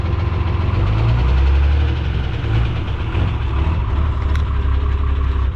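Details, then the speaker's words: 12-valve Cummins diesel truck driven with no oil pressure, no coolant and the gauge pegged at 245: heavy diesel rumble with an uneven knock at idle pace; engine seized, spun bearing, coolant in the oil pan. "Yeah, the engine seized. The engine seized on me, and I had to pop start it to get it going, but yeah, we spun a bearing at this point."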